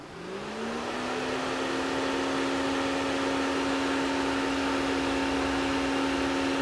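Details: 2006 Opel/Vauxhall Astra 1.8 convertible with overheating and coolant loss, radiator fan current test: fan spins up over about a second to a smooth steady hum without wobble or rattle, drawing about 25 amps; runs normally.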